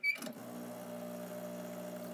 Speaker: now if they come over to the vibration pump and listen to that